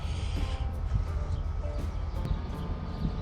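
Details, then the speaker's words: Abandoned 1969 Chevy Camaro with 307 engine, sitting 18 years: heavy, uneven, sluggish cranking with low lumpy pulses, no catch. Owner suspects a weak battery and an empty fuel tank. "i'm gonna have to put some more fuel in my fuel tank i'm sure that's empty yeah that's that sounds pretty bad i should probably buy a battery"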